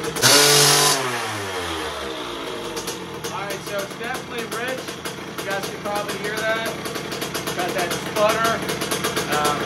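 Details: 2001 KTM 50SX two-stroke after carb upgrade, still cold: blipping and burbling unevenly, revs sagging and spluttering rather than clearing; definitely rich, carb likely needs pulling and re-jetting.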